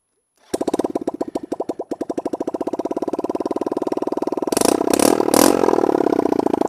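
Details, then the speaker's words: Motorcycle started with no exhaust fitted while swapping exhaust and sprockets: loud, raw, open popping about three beats a second at idle, sharpening when blipped. "Okay, so now we have no exhaust on. And I know what you're all going to say. Start it!"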